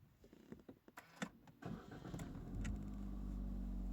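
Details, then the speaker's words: Suzuki XL7 cranked on homemade LiFePO4 battery (4×50Ah cells, Jikong JK-B2A8S20P smart BMS), starter pulse 132 A; short burst of cranking then engine catches and settles into steady even idle; normal crank and start. "Oke, ini kita tes starter mobil biar sekalian mengetahui puls starter mobilnya ya."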